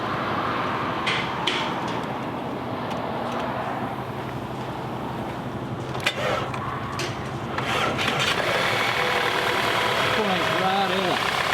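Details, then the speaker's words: Flood-damaged car, after replacing a broken fuse: engine catches amid background clatter and settles into a steady, rough-edged idle; now starts and runs, dash shows parking brake malfunction. "dang guys that's awesome that is amazing whoo i don't have any lights on the dash couldn't hear it turn over oh okay i got a parking brake malfunction which we did have on the scan tool so it said that my windscreen wiper defective but it is running look at that"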